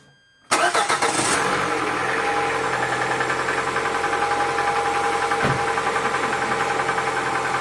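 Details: Cold engine fires up and settles into idle with a steady knock, roughly three or four a second, riding over the engine; owner suspects piston knock, unconfirmed.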